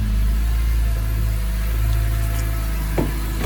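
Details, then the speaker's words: Retired BMW M3 track test car with independent throttle bodies, first run after sitting for years and a fuel system refresh: steady low idle with slightly uneven lumpy beat and faint stumble; a tad cranky from storage but running. "she's a tad cranky from sitting for years. But listen to that thing. She is alive."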